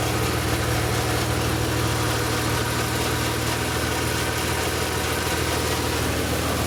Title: Strange sound in idle+ VANOS - M3 E36 S50B32